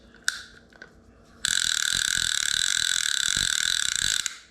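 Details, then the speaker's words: Old Penn Long Beach 65 fishing reel, about 30 years old: loud, crisp, high-pitched ratcheting buzz held about three seconds as the spool turns, about twice as loud as the other reel; clicker working normally. "the clicker on this one is so good it's so loud which is is you know"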